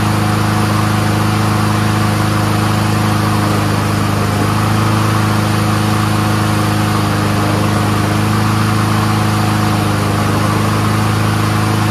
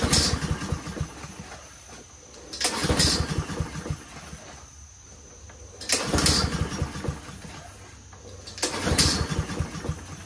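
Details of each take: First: Troy-Bilt 21-inch front self-propelled mower with Honda engine, warming up: steady, even single-cylinder drone at constant speed with no misses or surging; runs smooth, carburetor clean, normal. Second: Troy-Bilt 21-inch front self-propelled mower with Honda engine, on choke with fuel flowing: repeated pull-start cranking bursts about every three seconds, never catching; no-start.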